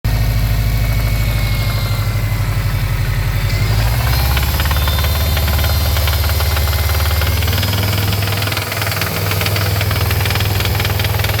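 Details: 2013 Subaru STI at cold start after removal of the secondary air pump system: block-off plates fitted on the back of the engine, its CEL programmed out. Loose metallic knocking under a deep rumbling idle; owner suspects a cause, unconfirmed.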